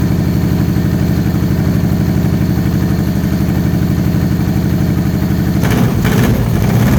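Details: Supercharged 2013 Victory Cross Country V-twin, first start after sitting over a year: a lumpy, loping idle with single heavy pulses about three a second. Dead front cylinder from a damaged plug wire not making contact, which fouled the plug.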